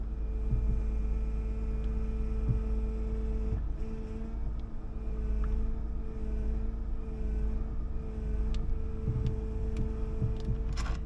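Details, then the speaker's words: Sprinter cargo van at idle, hood open: steady, even whine above the rumble, unchanging; owner suspects low power steering fluid, or a bad power steering pump or pulleys. "it makes that noise when there's not enough in there. So, or it's just a bad pump."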